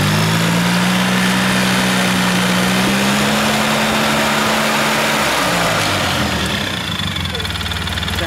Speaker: this should activate itself once i give her some sucking in there right so that's how the secondary primary works you can see this one is closing and this one opening